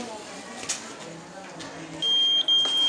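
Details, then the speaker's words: A heat-triggered fire alarm of the kind fitted at homes, factories and organizations, set off with a candle flame: a quiet room, then a shrill steady high beep with one short break. The alarm works. "Fire అంటే అగ్ని ప్రమాదాలు ఎటు నుంచి అయినా రావచ్చు. ఇది జనరల్గా చాలా ఆర్గనైజేషన్లో ఉంటాయి. ఈ సౌండ్ రాగానే మనం అలర్ట్ అవ్వచ్చు."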